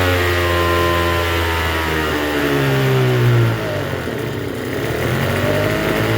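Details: Troy-Bilt TB272V two-stroke leaf blower after turning the single-D half-moon carburetor mixture screw out about one and a half turns: buzzy, fast, slightly wandering idle well above normal tick-over; runs but idles a little high.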